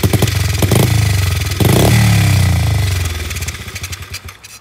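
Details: SSR 70 pit bike, possibly clogged carburetor, given starting fluid for an Italian tune-up: steady chuffing about three to four beats a second as it's kicked, a brief louder catch, then it dies; trying to fire but not running.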